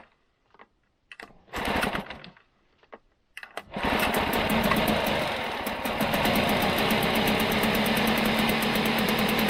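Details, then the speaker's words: Outboard motor on a salvaged sunken aluminium boat: starts after a few pulls and runs at a thin, rattly, tired beat. It has very little compression, with rings suspected worn and hissing past them; low telltale water output suggests the impeller may need changing. "it does sound pretty worn out but um starts all right"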